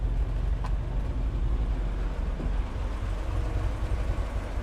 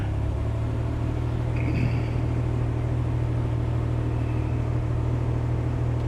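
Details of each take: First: 1966 Corvair Turbo with newly fitted Mikuni carb, basically cold start at about 59°F, alternator over 14 volts: steady even low rumble with no knocks or misses, settled idle right on 1000 rpm; idling smoothly. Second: 1966 Corvair Turbo with a newly fitted Mikuni carb, cold start at 59°F: deep rumbling idle with an uneven, lumpy beat; rough until warm, idle set at about 1000 rpm.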